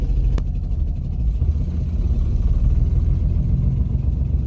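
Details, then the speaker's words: Infiniti G35 coupe drift car, VQ35DE, after the aluminum valve cover swap, idling in the garage: low uneven lumpy idle sagging near stall, misfiring badly; owner suspects the throttle body spacer, unconfirmed. "it has been a week since the last clip, and we're here back in the garage with the damn car that is misfiring like hell."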